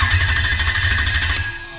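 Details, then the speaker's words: Lexus LS400 (92-94) engine on a new wiring harness for the automatic gearbox, with the park/neutral switch bridged with a fuse. Steady, fast cranking churn with an even pulsing beat for over a second. The starter cranks normally. "i don't think i need to tell you obviously you must have heard that noise in the background so that's the motor cranking over"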